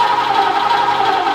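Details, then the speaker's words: Sandman panel van, start attempt after fitting the distributor; ignition suspected 180 degrees out. The starter whirs and the engine turns over but never catches while the carb pours fuel, after an earlier carb fire. Crank, no start, wrong firing order. "No, stop. I'm seriously wrong. What's going on? Should have fired by now. Dude, this carby is pouring fuel into that engine."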